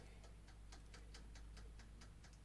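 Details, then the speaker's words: Vevor 6.5 L ultrasonic cleaner's mechanical wind-up timer, newly unboxed; steady even clock-like ticking, about four to five ticks a second, like a toaster timer — normal mechanical timer ticking. "something very similar to the the dual it toaster obviously just like a clicking one now"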